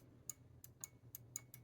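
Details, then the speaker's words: Data East Jurassic Park pinball, T-Rex switch rebuild: the newly installed microswitch clicks sharply, about four times a second, with barely any movement, so it is more sensitive than before. "So I got that new switch in there, and you just barely move it and you hear it clicking."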